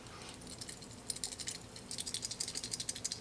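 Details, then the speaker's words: Bad PTC start relay from a Vissani mini wine fridge compressor, shaken by hand: a loose, bright, quick rattle like a broken chip tumbling inside, a usual sign of a failed relay; the replacement does not rattle. "you hear the rattle there's usually a sign of a bad a bad one of these relays"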